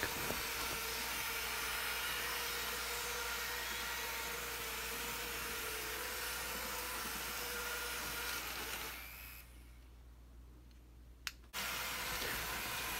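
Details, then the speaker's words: Kato N-scale tram on Unitram track after T-bone side collision, shorting the track: steady electrical buzz with hiss for about nine seconds, then cuts out; SX controller circuit breaker buzzing on short circuit. "this clip ends in a t-bone side collision where the tram hit D rails and and shorts the track you can hear the SX controller circuit breaker buzzing"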